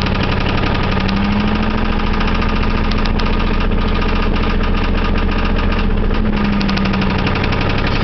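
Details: 1989 Chevy Camaro V8 idling with an even, repeating bottom-end knock under it; owner was told rod knock but cause unconfirmed, engine to be rebuilt anyway.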